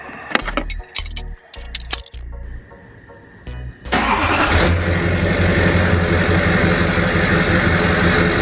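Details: 2007 Chevy Silverado 2500HD LBZ Duramax diesel, after the factory cat and muffler were refitted in place of a straight pipe. Brief crank, then a smooth, steady, much quieter idle. Healthy running.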